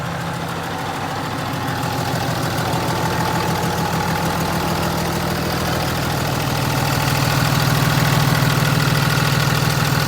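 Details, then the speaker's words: 2015 Ram 2500 6.7 Cummins, G56 six-speed manual, 76,387 miles: deep diesel idle with fast even rattle from clutch/bellhousing, not engine, especially with clutch pushed in; clutch rattle at idle. "you can hear that rattling from the building this clutch especially when you push the clutch in"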